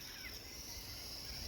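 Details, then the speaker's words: Electric hot water tank: a faint, steady high hiss from the pressure relief valve, which has let go and is leaking water from its top, draining all the hot water and causing no hot water. "you hear that it's hissing and there's water coming out the top of it"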